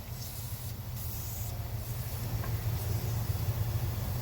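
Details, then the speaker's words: Turboed single-cam (SOHC) Honda on a dyno during tuning: steady low engine drone with a thin airy hiss shifting on top; bad boost leak at a threaded intake joint, wastegate spring possibly next. "You can hear that change, so not good for power. We're going to work on the boost leaks first and then maybe the wastegate spring."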